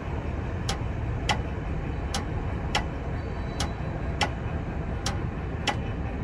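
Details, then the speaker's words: Railroad crossing gate mechanism lifting the gates on a newly installed battery bank that still has to charge, with less grinding from the S60 after repair; smooth motor hum with crisp ticks about every 0.7 s, no grinding, normal raising. "So, the battery bank I just installed still has to charge up, but even right now, it was able to pick up the gates no problem."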